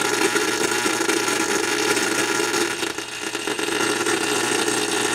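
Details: Tube radio receiver, probe at IF stage glass tube: steady rushing hiss with low hum and filament buzz; oscillation located in IF section, changing as probe moves closer or away from tube.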